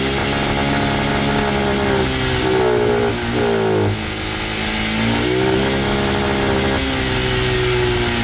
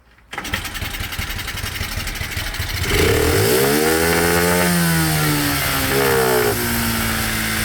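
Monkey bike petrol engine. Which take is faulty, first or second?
first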